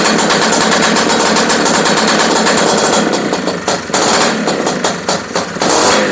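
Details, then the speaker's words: Honda Odyssey FL350 two-stroke with new DG exhaust and Keihin carburetor, first start on VP racing fuel, cooling fan running nearby: steady low thumping idle; idle speed slightly too low. "wow how does that sound to you guys i think it's idling a little slow though"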